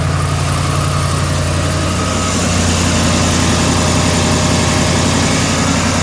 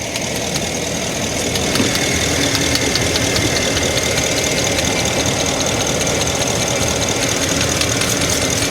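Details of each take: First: 2012 Ford F350, 6.2L gas, code P06B6 knock sensor 1 performance, started after repair with the intake reinstalled and codes cleared: a smooth, even idle with a steady low hum and no clicking or ticking. Normal idle. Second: 2012 Ford F350, 6.2 L gas V8, code P06B6 knock sensor 1 performance: busy idle with uneven ticking snaps, two or three a second, while water is sprayed on the coils; the ignition coils arc to the block, misfiring and reading as knock.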